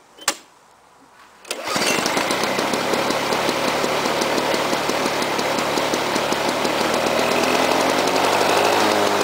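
Mower fires up and settles into a fast, slightly uneven popping run near four beats a second; carburettor wants a little tuning. Cause suspected, not confirmed.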